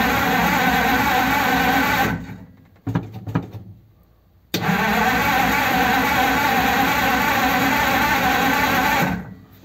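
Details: 1933 5-window coupe, crusty flathead, parked nearly 3 years, choke on after priming: steady cranking about three turns a second, stops, cranks again without a single catch; no spark.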